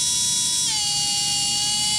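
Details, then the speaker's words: RC brushless motor on a SkyRC BMA01 analyzer spun to full throttle: high thin whine sagging, struggling to reach 30,000 RPM; bearing failing, motor possibly further damaged from abuse. "So yeah, that's definitely on its way out. Okay, let's do a let's do a motor timing test. The bearing is going in this for sure, but the rest of the motor might have suffered a little bit of abuse and damage over time."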